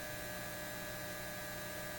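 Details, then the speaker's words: Repaired Lambda power supply on a BK Precision 8540 electronic load holding 20 amps at 5 volts, 100 watts, drawing 13.82 amps from the wall: steady low 60 Hz hum with buzzy edge from its transformers. "that's why what you're hearing is 60 Hertz buzz and the more current we put in the more we excite the Transformers and the louder they buzz"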